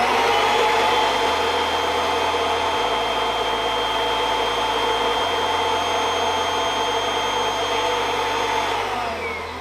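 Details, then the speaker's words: Kirby Avalir vacuum with the stretch hose fully stretched (wrapped around a G6): a steady vacuum roar with a high motor whine, and the brush tool spins noticeably slower from reduced airflow. Water lift is then measured at about 130 inches. "now to me that seemed a lot slower so let's put the water lift meter on and see what what we've got with the water lift meter"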